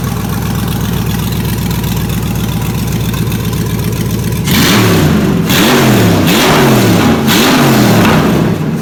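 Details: 2003 Chevy Tahoe 5.3 LS engine run on a stand with the stock harness, stock fuse box and VATS deleted, open exhaust: loud, raw steady idle, then even revving that rises and falls cleanly with no knocks or misses; healthy running.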